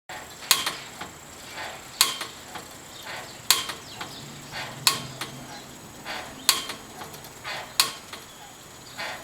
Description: An attempt to isolate where the clunking noise is coming from on my Main Street pedicab as it rolls down the street.